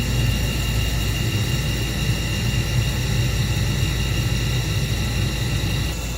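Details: Old Carrier natural gas furnace, model 58SSB: inducer motor runs with a steady, even low hum and constant whir, no rattle or buzz; wheel in good shape, vibration noise traced to worn motor mounting grommets (KA56GR540).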